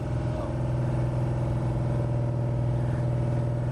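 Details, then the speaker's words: Pontiac 455 V8 in a '67 GTO at fast idle during cam break-in, oil pressure dropping from about 70 to 45 as it heats: rapid light tapping, something fast hitting something. Suspected cause is the rod bolts clipping a tight windage tray. "So what we're hearing, something really fast is hitting something. And the only thing I can think of is how close that windage tray was."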